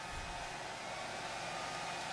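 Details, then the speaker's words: Dell Inspiron 8000-series laptop with 1 GHz Coppermine Pentium III: both cooling fans at 100% full throttle, loud steady hairdryer-like rush with no rattle or ticking; software reads about 6,000–7,000 RPM, unreliably beyond that. "And there we go. That is the fans at 100% full throttle."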